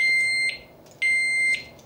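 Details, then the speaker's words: Kovix U-lock with alarm, just armed: two loud high steady beeps about half a second long, one second apart; alarm triggered by movement. "pronto montou roupa sistema armado muito bem qualquer movimento agora"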